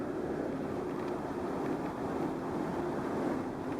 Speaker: this noise you can hear it more from the right side than the left side like there's an air leak you could definitely hear the almost whistling of the air